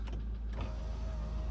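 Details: Land Rover Discovery II sunroof motor test, where the rear sunroof switch works but the front motor is broken and stuck. Short, smooth, even electric whir with steady pitch and no grinding or clicking; normal motor operation.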